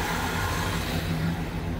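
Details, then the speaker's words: 1976 Chevy Chevelle Malibu V8 with newly installed Edelbrock intake manifold and carburetor: even, deep rumble holding steady but a touch fast; idle could go lower, mixture not quite right yet, air idle screws to be adjusted. "I think I could Idol it even down a touch but [Music] you can tell it's doing its own thing still it's not quite right"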